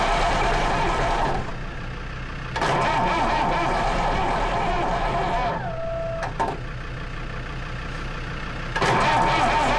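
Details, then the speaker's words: Lansing Bagnall Model A tug with a Perkins P4 diesel, long laid up, in poor shape but with compression, cold start. Long cranking with uneven bursts of firing that die away; owner suspects not enough heat. No start yet. "there she's trying guys she's trying there's lots of bumps and squeaks coming out of her"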